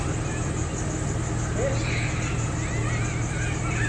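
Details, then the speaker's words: Newly installed Flowmaster muffler: steady, deep exhaust rumble, even and smooth with no rasp or rattle, not too loud; normal exhaust note. "yes it ain't all of that loud got a nice little ground to it"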